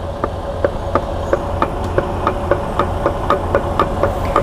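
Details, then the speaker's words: Freightliner Cascadia truck, first differential driven on low oil level; sharp metallic clicks about four per second over low rumble, excessive ring-and-pinion backlash from badly worn teeth. "y escuchen esto con atención El ruido que hace del juego que tiene"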